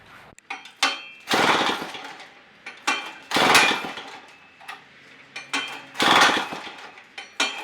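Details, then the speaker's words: 1940s two-stroke rototiller, bought new around 1946, unrun for years, out of gear: repeated pull-cord rasps with sharp clatter but the engine never fires; no fuel in it, and it runs after fueling. "fuel down here there's your problem never fuel no run"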